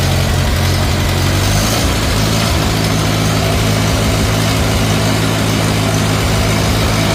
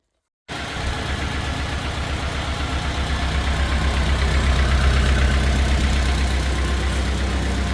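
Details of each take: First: 1950 Farmall Cub after an engine rebuild with pop-up pistons, a new magneto and a new on-off switch: a steady, even, quiet idle with a smooth firing beat, no knocks, misses or smoke. Normal healthy running. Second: 1950 Farmall Cub small petrol engine after rebuild with pop-up pistons, first startup at idle: light quick tick, tick on each firing pulse from two loose exhaust manifold bolts leaking exhaust; tightening them fixed it.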